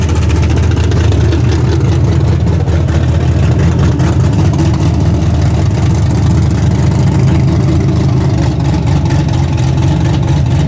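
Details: Freshly rebuilt 406 V8 breaking in, 5 min 15 s into a planned 15-minute run: loud, steady deep rumble at fast idle with an even, unbroken beat, no knocks or ticks, healthy. Open plenum fitted; crew thinks it may need a bigger carburetor.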